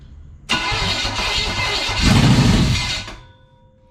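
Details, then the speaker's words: 1970 Chevelle SS big-block V8 running open with no exhaust after a broken distributor was swapped out: a loud, rough bark that evens out before shutdown; healthy engine, nothing broken inside. "It runs. It runs. So it runs. We can take it So apart. it sounds good, guys. There's nothing's broken in there"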